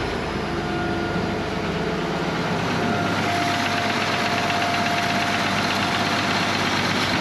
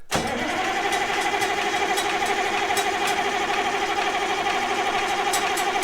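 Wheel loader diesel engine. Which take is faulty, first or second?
second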